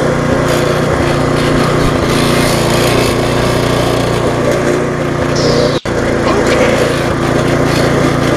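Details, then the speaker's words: Viking (Stihl) mulching mower, Briggs engine with refurbished classic carb, just after repair and smoking from being tipped on its side: steady single-cylinder run with a light loose rattle from handlebars that need tightening. "you hear them rattling a little bit that's because it's only because of the handlebars not tight there I can't quite tie in it"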